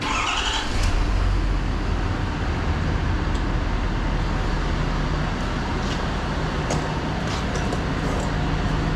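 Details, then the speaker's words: Truck being checked for an idle issue appearing only after running; filter changed, no fuel pump heard: engine catches after short crank, settles to steady even idle; not rough yet. "She's idling. It's not rough, but I haven't run it long enough for it to give me that idle issue."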